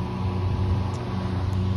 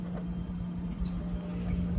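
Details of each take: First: Variable-speed single-phase condenser fan motor (Liebert unit, Motor Master controller) with bad bearings: steady low hum with a rough droning rumble, before the motor is replaced. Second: Liebert condenser after replacing a variable-speed single-phase fan motor with bad bearings: steady, even low hum with no grinding, motor drawing 3.4 A against a 4.8 A rating. Normal quiet running after repair.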